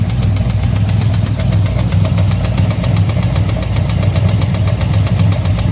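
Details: Engine recently rebuilt with new cam, lifters, heads and valvetrain, cold start in the morning: sharp tick about six a second in time with the engine over a low rumble; tick appeared the night before, owner suspects an exhaust leak, unconfirmed.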